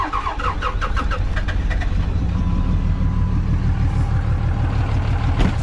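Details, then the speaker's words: Diesel after start-up: rumble with sharp quick pops puffing back through the intake; owner suspects a bent or burnt valve, still runs and pulls well. "rip this apart and as you can hear it's kind of popping through the intake i mean i probably shouldn't drive it but i do drive it around a bit"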